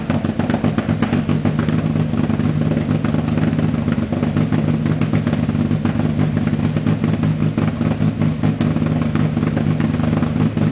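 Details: Renault Clio on KTR Gen 90 tune, rough idle and launch control settings; loping, lumpy idle with uneven chuffs and clattery edge at steady low revs, a deliberately tuned rough idle.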